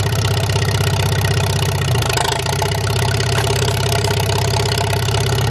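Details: Farmall H tractor just revived, first start after fixing a poor ignition connection, choke used: steady low chugging idle with even firing beat, no knocks or misses; normal idle.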